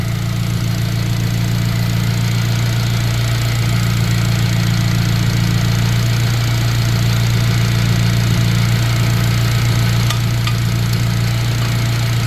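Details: Sleeper turbo Honda making 300 lb-ft of torque, with the engine bay under inspection. A smooth, even idle with a steady low drone and no stumbles or misfires; it runs right.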